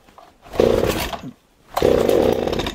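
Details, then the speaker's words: Stihl MS 260 chainsaw with its original spark plug, choke off and throttle held open, pulled to start. Two short ragged firing bursts die straight away and it won't run; owner suspects the engine floods immediately and plans to change the plug. "Normalement elle va péter un coup et après quand je vais faire la procédure de démarrage normale, et ben elle va pas partir."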